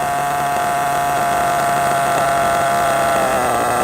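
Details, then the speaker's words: RC truggy nitro engine tick-over after high- and low-speed needle tuning; high steady buzz with a faint wobble near the end, settling down without stalling or hunting: tune judged good. "There you go, and down it goes. So I'm happy with that tune now."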